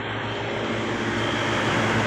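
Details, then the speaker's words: Old Traulsen fridge after repair, water jacket removed, condenser coil from a walk-in cooler fitted, wiring redone, R-134a: steady even hum with low motor drone and condenser fan rush, no knocking; compressor and fans running normally, just switched on. "let's see how it goes it's alive it's alive people iowan 134a the marshall professor [Music] running everything's running"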